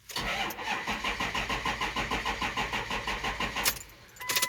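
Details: Ford F550 6.0L Powerstroke crank no start, with codes for camshaft position sensor, glow plug circuit and ICP low; the starter grinds steadily at about six even compression beats a second and the engine never catches. High-pressure oil system suspected, not confirmed.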